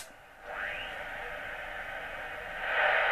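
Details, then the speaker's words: HF radio (857) with the Jaycar MP3800 0–24 V switch-mode supply switched on: hiss with a thin whistle gliding upward as the supply's oscillation sweeps past the tuned frequency; a birdie, though 40 metres seems unaffected. "birdie as the oscillation the power supply sweeps past or one of the Sprague's romic sweeps past that particular frequency but doesn't seem to bother doesn't seem to bother 40 meters"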